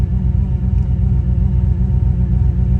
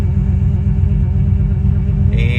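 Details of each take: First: Petrol engine idles steadily after grounding repair fixed U0107 lost communication with throttle actuator control module; with AC switched on, idle note sinks lower and loosens, engine nearly wants to die. Power steering pump whine also present, pump due for replacement. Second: Vehicle after fixing code U0107 (lost communication with throttle actuator control module) by repairing grounding; check engine light gone: low, even rumble idling at correct speed. Normal idle after repair.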